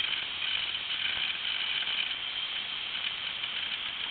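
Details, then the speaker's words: Old 8-10GB IDE hard drive running with cover off, likely 5400 or 7200 RPM, reading data after mounting: fast dry rattling head-seek ticks over a thin high spindle whir; normal hard drive seek noise. "wow looks like it had Windows 98 on it that just moves so freaking fast that is amazing how fast that moves and the disc is spinning probably I guess maybe 5400 or 7200 RPM"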